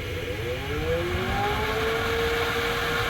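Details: Raise3D Pro3 3D printer rear cooling fan (stock) giving a loud wavering whine around a steady pitch, rising and falling like a siren; stock fan too noisy, fix is swapping it for a quieter Noctua NF-F12 24V fan.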